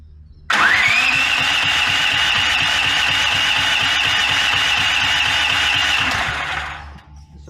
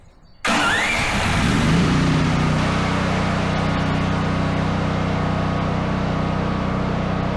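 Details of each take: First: Brand-new Duromax 13000 generator on propane; electronic stepper-motor choke closes fully, moves to middle, keeps trying then gives up, backfiring throughout; runs with high whistle and uneven low popping; struggling start with backfiring, which ruins the choke stepper motor. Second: Duromax 13000 generator after new spark plug, repeated start test: short crank, catches at once, settles into steady even idle with no exhaust pops or backfiring; normal start and idle.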